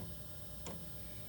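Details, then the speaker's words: New Chinese diesel heater in startup mode at the highest fuel rate: soft, even ticks about every 0.7 seconds over a faint fan hum as the dosing pump feeds fuel to the glow-plug igniter; normal operation. "now you hear that thump thump thump now the now the pump the fuel pump is starting to deliver fuel to the igniter"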